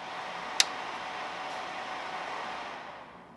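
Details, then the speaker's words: Creality Ender 5 S1 3D printer: constant airy whoosh with a hissy top end and no rhythm or rattle from the stock power supply cooling fan, which is just too loud; owner plans to replace it with a quieter fan. "but this fan is just so loud I don't like it one bit"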